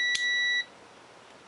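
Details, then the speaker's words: Honda CB750 chopper ignition switch tested with multimeter on stripped wires: no continuity between red and black with switch off, steady half-second beat then click when turned one position; continuity beep, circuit closed. "Nothing between the red and black wire with it off. But if I turn it one position."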